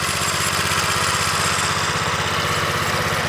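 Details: Vintage 2 hp Briggs and Stratton engine on a Montgomery Ward lawn edger, run after sitting 2 years in storage: steady even putter, about four firing pulses a second, no misses or knocks; normal running.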